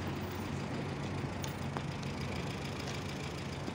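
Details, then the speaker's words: Honda Civic Hybrid after replacing the gas cap, idle previously shaking like it would rattle apart; now low steady idle hum with an even beat, no rattle; idle perfect again; normal idle. "but it definitely made my idling perfect again before it really felt like it was gonna rattle apart completely just while idling"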